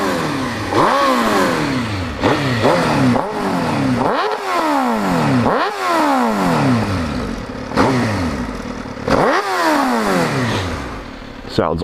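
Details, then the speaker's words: 2005 Suzuki GSX-R1000, about 17,000 miles, started with clutch pulled in, starts right up: crisp throttle blips climb and drop cleanly to steady idle with no rattles or misses; healthy engine. "Yeah, see, you have to pull in the clutch to start it. Starts right up. So this is what it sounds like idling."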